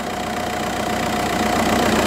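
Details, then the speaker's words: 2004 Volkswagen Jetta TDI, 1.9 L turbo diesel, automatic, 179,000 miles, revved: even diesel clatter climbing smoothly with no misses or knocks; healthy running engine. "if you bear with me one moment we're just going to rev the engine a little bit just so you can hear exactly how it sounds the vehicle does currently have 179 000 miles but still runs exceptionally well"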